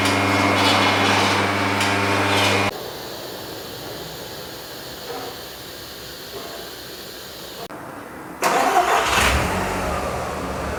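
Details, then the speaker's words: 2001 Audi TT Coupe 225 with BAM engine, which misfired earlier on the test drive, at its MOT: engine catches quickly and settles into an even, steady run with no knocks or misses; healthy start. "Oh, it starts again. So, that's a good thing."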